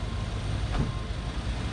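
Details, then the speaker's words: C3 Corvette V8 just after installing new FiTech EFI system and new intake, first start: low even rumble holding steady, no misses, stumbles or ticks; idling very smoothly. "this thing you put your hand on the motor you can't believe how smooth it the engine"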